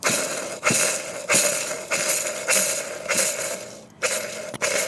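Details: CFMOTO clutch bearing spun by hand: gritty scraping bursts about every half second instead of a smooth whir; the bearing is worn, and its balls fell out when it was removed.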